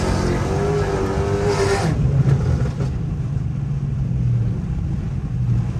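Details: Pontiac G8 GT V8 automatic, hard acceleration: rising note, then the shift lands loose and pitch sags unevenly instead of a crisp change; shift flare the owner says worsened from his driving; replacement transmission already bought.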